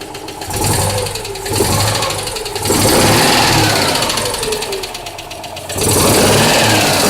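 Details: Citroën Dyane 6 engine revving up and down repeatedly with a light, fast ticking riding over it; an abnormal engine noise of unclear cause.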